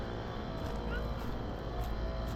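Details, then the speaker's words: Carrier Gemini outdoor HVAC unit running: loud, heavy, steady rumble and rattle; sounds wrong, cause unknown. "That thing is That thing is loud as hell. And it doesn't really sound good. What the hell? Sounds really weird."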